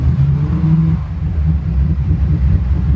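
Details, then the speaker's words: 1999 Bayliner 3055, twin 5.0L MerCruiser Thunderbolt 220 HP, about 1000 hours, port engine dead cold start, temp gauge at zero; fires right up, low steady even rumble, no misses or knocks, clean exhaust; normal cold start. "nice running both partner right up from dead cold start you can see there's zero registration on the tempeh"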